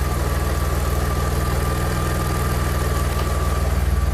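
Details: Engine-swapped Audi A4, after soldering damaged engine sensor wiring that caused crank no-start: smooth even idle, steady low beat about four per second, no misses or stumbles; engine healthy.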